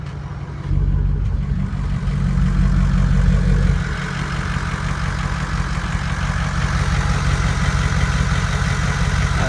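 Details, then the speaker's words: Ford Powerstroke 6.0 diesel with newly welded straight pipe exhaust; brief throttle blip then deep, even rumble settling into steady healthy idle; normal idle. "sounds pretty good. I think it does sound pretty good."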